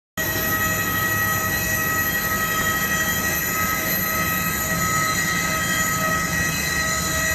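Loud, steady high whine made of several stacked tones that never changes pitch; the airliner's source for it is unclear.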